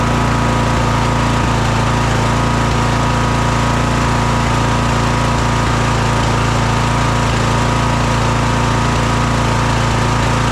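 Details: Craftsman DLT3000 lawn tractor engine, after coil, fuel filter and carb work: uneven, lumpy idle with a wavering note. It still runs poorly, fine at full throttle but the idle is really bad. The owner plans a valve adjustment.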